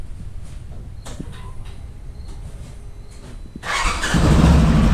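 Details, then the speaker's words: Off-road vehicle first start in a few weeks, after oil change and refitting driveshaft, front differential and front parts: brief clatter, then it catches at once and settles to a steady even idle; water pump known slow; normal start. "Christopher's gonna fire it up for the first time in, how long's it been? A few weeks"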